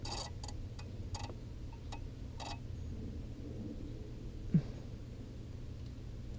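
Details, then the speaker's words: Ford Crown Victoria, wiggling at the fuse panel: faint ticks about twice a second, then they stop dead. The owner suspects a fault in the fuse panel or wiring harness; the panel is discontinued. Intermittent turn-signal flasher. "I don't know if you can just replace this fuse panel here huh even we're going like this I can hear it bug it out but"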